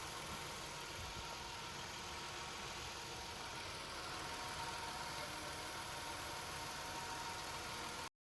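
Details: 2017 Nissan Altima after replacing the oil pan and strainer to cure a whine on start and acceleration: quiet, steady idle with an even hum, no whine or irregular knock; engine sounds healthy.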